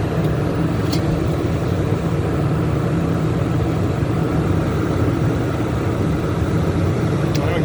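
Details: Generator rated 3200 W starting / 2900 W running, regular (not eco) mode, starting and running a 15,000 BTU A/C after a Dometic hard start capacitor was installed (it previously tripped the surge protector); steady drone holds under load with no bogging, surging or stalling.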